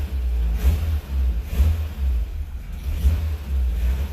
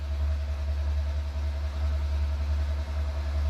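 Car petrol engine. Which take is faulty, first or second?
first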